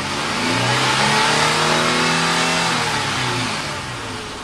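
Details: 2004 Nissan Xterra, naturally aspirated, with a newly installed Volant cold air intake: engine pitch climbs smoothly through a rev, holds, then falls back evenly with extra intake rush; runs clean, no faults.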